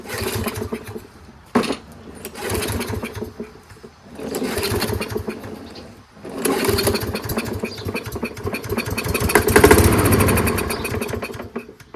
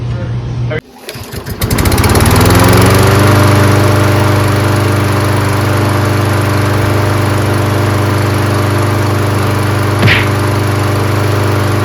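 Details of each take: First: Toro 22-inch Recycler Kohler mower, choke closed, started on 50% ether starting fluid before adding gas; coughs into a few short bursts, each fading before stopping, running only on the spray. Fires briefly then dies. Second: Toro 22-inch Recycler mower with Kohler engine, just fitted with a new HIPA replacement carburetor; starts on the first pull, then settles into a steady, even single-cylinder drone with no misses or surging. Normal running.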